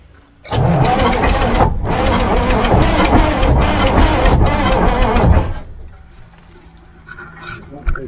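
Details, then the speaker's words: Abandoned bullnose white cabover semi with a 290 diesel (not a 903), parked about 20-23 years: heavy cranking at three to four turns a second for five seconds, never catches; smoking and getting fuel but won't start, cause unknown. "What are we not doing? It's smoking, it's getting fuel, it's just been a while."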